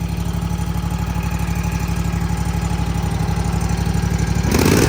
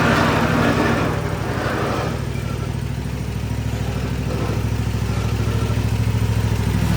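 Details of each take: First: Toro TimeCutter 50-inch with Kawasaki FR691 V-twin, after valve adjustment: even, steady idle with smooth low pulse, earlier valve rattle and clacking gone; normal idle. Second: Toro TimeCutter 50-inch mower, Kawasaki FR691 V-twin, before valve adjustment; loose uneven clatter about three per second over deep V-twin idle, blades engaged, deck also rattling; valve clatter from excessive valve lash.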